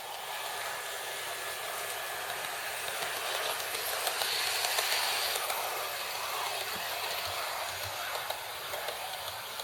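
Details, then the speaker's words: Hornby R2701 Intercity 125 Class 43 model dummy power car running after the squeak fix (over-tight wheel pickups eased, not the modelled disc brakes): light, even whirring hiss, no squeak, runs freely. "I was very careful not to break those, but it's going much easier and no squeak, as you'll now see."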